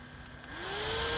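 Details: 4-wire PWM computer fan cooling a controller at 24 °C, idling then speeding up as the temperature setpoint is lowered (yellow wire unconnected): smooth whir rising steadily in pitch, no rattle or grinding; fan healthy.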